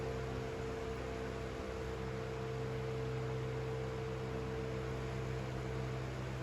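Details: 1970s/80s Limit Ariel 12-inch oscillating desk fan, square-grille model, on high at about 42 W and about 1,239 on the airflow tester; even airy rush with a steady low hum, no rattles or scraping. Running healthy.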